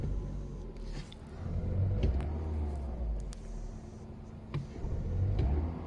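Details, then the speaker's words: Audi A2 with LPG conversion, cold start: rough, lumpy idle that bogs, shakes and drops rpm when revved, improving after 10–30 seconds. The misfire is caused by a 12 V battery with a dead cell and low voltage. "when the engine is cold it it does really bad idle so when i press the car it doesn't want to take refs"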